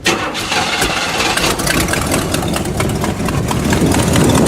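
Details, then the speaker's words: Buick after new spark plug wires, restarted after sitting: starter churns a few seconds at uneven rate before catching and settling into idle; extended crank, the car's usual behaviour, and the problem later returned. "So like I said, I had it running earlier, but now it's been sitting, so it'll probably need to crank for a bit."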